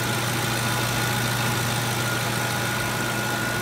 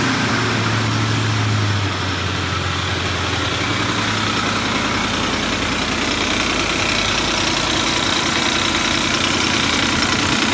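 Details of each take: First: Ford 5.4L 3V petrol V8 idling smooth and quiet, steady low hum with no knocking, after the diagnosed knocking cause was repaired and the engine reassembled; earlier guides and tensioners had been replaced by a previous owner. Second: Ford 5.4L 3V V8 idling with a steady, fast metallic knock: loose aftermarket cam phaser whose worn locating notch lets it move back and forth; guides, tensioners and phasers were already replaced by a previous mechanic.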